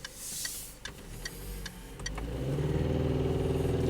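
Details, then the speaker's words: 2010 Citroën C4 1.6 120hp, driving: steady sharp ticks about four a second on hard throttle, then a rough rising drone. The car accelerates poorly but runs normally above 60; owner wonders if it's the chain, cause unclear. "да стук идет какой-то цепи стучит или чо куда лезть и тупит вообще вроде бы потом после 60 уже нормально идет при резкой нажно нажатии на педаль этот стук есть видишь прям сразу такой за ту кто что скажет помогаете"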